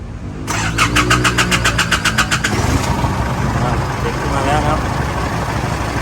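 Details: Isuzu D-Max 2007–08 diesel after intercooler replacement and leak repair for black smoke and revs cut at 2,000 rpm, started in neutral: even cranking beats, then catches and settles into a steady, smooth idle; normal start and idle.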